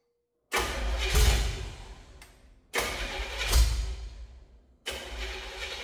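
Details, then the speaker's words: 1968–69 Chevrolet C50 truck on a swapped chassis (rat rod build) catches in several short bursts on poured-in fuel, then dies each time; it has spark and compression and starts on primed fuel. "yep give some more this is [Music] exting you heard a truck fire right up I smell [Music] exhaust smell"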